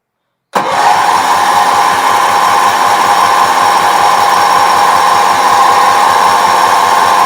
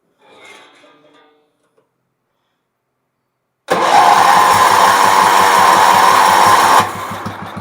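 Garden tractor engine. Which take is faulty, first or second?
first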